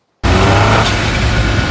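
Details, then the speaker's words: Smart Fortwo Cabrio after fixing boost loss from a holed hose: strong even engine roar under throttle, no hiss or whoosh, louder with engine cover off; boost system sealed and healthy. "it must have all that noise must have been leaking out that hole in the hose so we're getting to hear it really really clearly very very loud without the engine covering"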